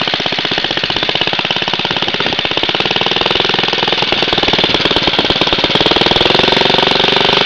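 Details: Very old Briggs & Stratton 2 hp four-cycle gasoline lawn mower with a new spark plug, just pulled from the shed after a long while: fast, crisp single-cylinder firing with a sharp exhaust bark that builds slightly. Healthy.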